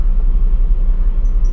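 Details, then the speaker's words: Toshiba washing machine after fix: loose belt flipped over to tighten it, tub now spins up strongly with an even low hum, no slipping, knocking or scraping; motor fine, healthy spin. "so yan guys Okay na uli siya akala nila sira yung ating washing machine na p satin pero ang problema lang ay belt medyo maluwag na"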